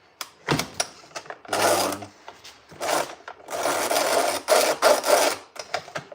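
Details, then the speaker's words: Stihl 08S chainsaw with a reassembled recoil starter: repeated rasping cord pulls with a slipping, ratchety catch and no firing. The owner suspects a stripping plastic gear; it is better than before but only half works. "It's kind of working. I wasn't trying to start that. So, it halfass works. There's a plastic gear in there that strips and I think that's what's going on."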